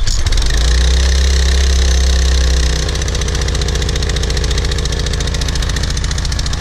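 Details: PowerFlow+ pressure washer, Briggs & Stratton 190cc, after sitting over a year, first start after carburetor cleaning of clogged bowl-screw jet, dried gas and oil: catches with brief surge then settles into steady even putter; healthy idle.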